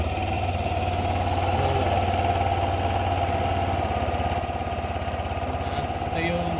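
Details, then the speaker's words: Yamaha NMAX 155 V2 with hard starting, stalling and poor idle, second start after fitting a stock IAC: steady, fast hum that never settles down; high idle, IAC not resetting and a faulty sensor shown on diagnostic tool. "Pansin niyo ba yung menor? Napakataas. Yun ang dahilan kung bakit sila nagpalit ng manual na IAC."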